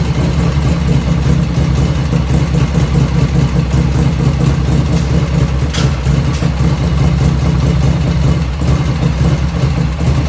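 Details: 1985 Harley FXR V-twin idling just after first start, still cold at about 49°F ambient, right after a float setting: even, low thumping idle holding steady with no ticking or misses, lifters dead quiet; normal idle.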